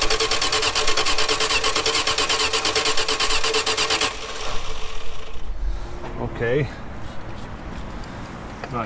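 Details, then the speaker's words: 1946 Dodge Deluxe with swapped V8 running off its own fuel pump for the first time: runs fast and rough about four seconds, then dies abruptly; stalling after fuel spraying then stopping, owner wondered about stuck floats. "thank you runs for a minute then quits"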